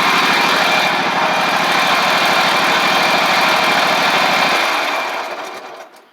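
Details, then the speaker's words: Ferris stand-on mower with Briggs OHV twin, after repair: one-cylinder misfire from loose intake pushrod guide bolt throwing pushrod off; pushrod refitted, valve gap fine. Even regular exhaust beat on both cylinders, then switched off and spins down; running properly. "Pretty simple fix there, guys. Luckily, it was just the intake push rod valve guide bolt. Came loose enough to where it threw the push rod off."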